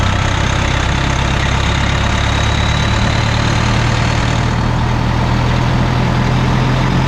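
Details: Bus 1410 "Brutus", idling after new 24V fan drive solenoid made no difference: heavy idle with steady even fan roar that never cycles off; engine fans run constantly because fan clutch is stuck.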